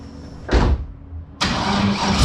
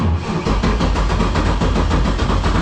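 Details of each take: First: LS-swapped Toyota GT86, 5.3 V8 with freshly ported heads, after ECU short repair and plugging in the unplugged MAP sensor: clunk, crank, quick catch and steady even idle while warming up; owner suspects running rich, possibly O2 sensors wired wrong. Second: LS-swapped Toyota GT86 with 5.3 V8 (freshly ported heads, valve job), after sitting and an ECU wire short from a fire: starter drags slowly, about two labored beats a second, no start; owner suspects the battery cable is too small.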